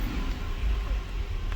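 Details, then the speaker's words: 2007 Buick Lucerne with a linear EGR valve commanded open at idle via jumped driver wires: a low, uneven idle that lurches and stumbles, almost misfire-like, and struggles on revving. Rough idle from the open EGR valve. "so he just opened it and it's just stumbling on itself so I'm gonna give it a couple of revs and it's it's trying really hard to do so"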